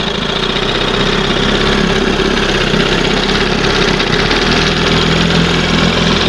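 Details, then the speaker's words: 1971 20 hp Johnson outboard after leaning out carburetors: ticks over fast and steady with buzzy exhaust note, no settling down; idle speed too high, some unburned fuel in water. "It's idling too high."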